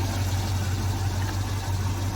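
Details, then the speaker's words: 1972 Jaguar XJ6 with Chevy 350 V8 conversion, idling after a cold start: steady, even low rumble with no misses, knocks or exhaust puffing; much quieter than before, no more fumes from the exhaust. "ast, you can honestly hear how much quieter this is running now."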